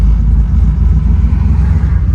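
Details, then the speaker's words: 1968 first-gen Camaro started after fitting a new battery (dead battery, possible alternator issue suspected), out of gear: deep, steady V8 rumble with an even beat, no misses or knocks; sounds good and strong. "All right, let's see, push the door, take it out of gear, fire it up. Oh yeah, that sounds good and strong."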